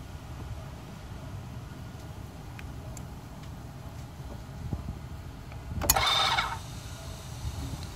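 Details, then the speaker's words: Mercedes 500 SEL V8 (1990) used as test car for an E-gas throttle control module: quiet cabin, one short half-second electric whir as the throttle actuator motor spins without opening the throttle; module defective, clutch circuit failed. "heard that noise like the motor spawn but nothing in happened nothing else happened that is not working in gas"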